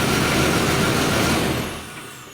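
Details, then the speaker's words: 1999 Chevrolet S10 4.3 L V6 with distributor, code P0300: a loud, uneven chuff and rattle at idle from a random misfire that makes it run rough. "uh 4.3 L V6 uh well let me turn it on all we got a misfire I'm sure you can hear it see it"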